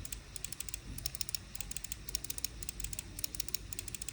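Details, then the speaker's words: irok HE6 Ultra gaming mouse side buttons: crisp, quick, uniform clicks with no pre- or post-travel, no rattle or double-clicking. Normal button clicks. "Side clicks, however, are top-notch. They nailed them really."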